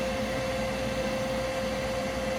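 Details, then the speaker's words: Older gas furnace, thermostat calling for heat: inducer motor drones steadily but no ignition or burner light-off follows, control shows 3 blinks (pressure switch fault). "should light up and the partnership turn on but nothing I'm getting three blinks already so I'll shut it down from the main power and we're gonna try to figure out what's the problem"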